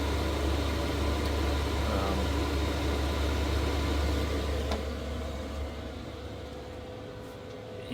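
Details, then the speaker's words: Chinese diesel heater in a Chevy Express camper van, owned 3 years, about 8 minutes in at full power (level six): steady low hum with a soft, even pulse, no rattles or misfires; running cleanly at full output. "this thing is in uh full swing right now it's actually six bars not five bars so I do apologize uh but right now we're running um as much as we can"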